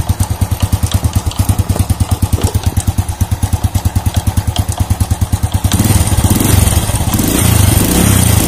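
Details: Old Honda Supra motorcycle, engine at idle: loose clotak-clotak clatter about three knocks a second, thicker on a throttle blip, from the clutch housing; later found the clutch outer loose on its rivets.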